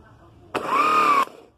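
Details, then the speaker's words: VW Combi (Beetle-type) starter with solenoid not engaging, motor energized directly: clean, steady whine spinning up quickly and holding under a second; starter motor healthy, solenoid faulty and replaced. "el motor Está bien entonces lo que está dañado es el automático"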